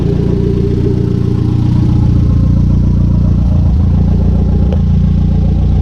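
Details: Conquest turbo G54B four, warm idle climbing from just over 180 to 210°F, fans not yet on (temperature switch suspected): a steady, even low idle with a light regular pulse and no misses or knocks; a normal warm idle.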